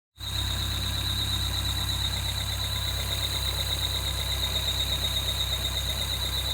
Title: 2013 Peugeot 208 GTi belt squeal